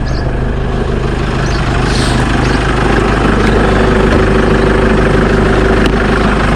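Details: Jeep Wrangler JK 2.8 CRD diesel idling just after an oil and filter change: deep, steady, smooth even beat with no knocks or rattles, nothing from the exhaust; normal healthy idle.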